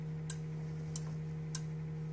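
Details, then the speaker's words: Humidifier control (humidistat) in a basement, fed by warm furnace air, set to winter: soft crisp tick roughly every 0.6 seconds over a steady low hum as it senses humidity (about 30%), working normally. "can hear that clicking this is actually sensing the humidity in the basement"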